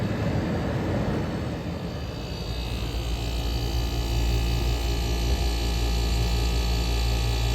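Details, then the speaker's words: 1977 GE Superthrust air conditioner with the fan stalled so the compressor is heard, head pressure built, suction line sweating, reading 105: steady deep hum, even low drone, no knocking or rattling; compressor running normally. "like I said this thing is absolutely silent it's warming up as the head pressure builds look at that suction line is absolutely sweat that that is how cold this thing is look at that that's the way it should be running 105 this thing is working very well stall the fan for minute so you can hear the compressor"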